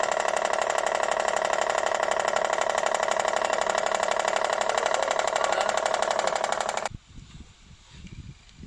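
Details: Honda CR-V engine running; sharp, very even ticking knock at about four per second, then it stops; engine knocking, cause not identified.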